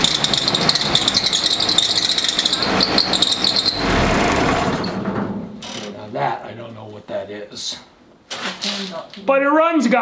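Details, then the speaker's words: 1946 Willys CJ2A Jeep, first start after nearly five years in storage, choke half out, pedal floored: engine catches and runs ragged under a high, wavering squeal that fades as it stumbles; owner unsure of source, suspects belt. "guys I have no idea what that squealing was I'm wondering if it's the belt"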